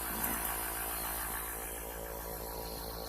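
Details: Small airbrush compressor, awaiting a regulator for 3–5 PSI, running on the bench: low, soft, even hum with no knocks, rattles or surging. It is running healthy.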